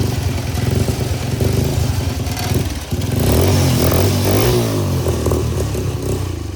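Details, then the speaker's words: Full-suspension lawnmower project started on a booster pack with choke: uneven, lumpy firing with a loose metallic clatter from the slack chain. It runs rough, and the owner says it needs a carburetor clean and the chain tightened. "so it obviously needs a carb clean um the Chain's a little rly I need to tighten up the slack thing's rattling around but it fires up"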